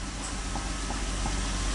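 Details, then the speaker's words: 2002 Chrysler Sebring 2.7 V6 idling after used alternator replacement: steady, even idle with smooth low hum, no earlier whine, no battery light, lights stable, voltage good; normal idle, charging system healthy. "And in my previous videos, you would hear that weird whining sound, which I don't hear. Last but not least, my voltage is good."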